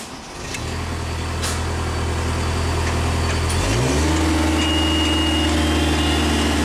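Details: Genie lift that would only drive one way, after swapping in its known-good original control board: steady drive-motor hum rising smoothly in pitch as it takes up drive; now working properly.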